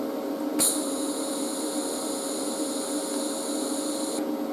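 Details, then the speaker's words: YesWelder 250 MIG Pro gas purge with the wire feed tension released so no wire comes out: trigger pulled, a steady even hiss holds about three and a half seconds then stops. Shielding gas reaches the gun tip normally. "hear that now we have gas all the way to the tip of the mig gun"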